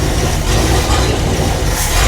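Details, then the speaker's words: 1959 Ford Fairlane 500 V8 first run in at least 15 years after tune-up and new radiator, warming up: heavy, lumpy idle with an occasional pop or stumble; owner suspects an intermittent miss, cause not found. "Sounds like it's got a miss every once in a while. Like a pop. I don't know."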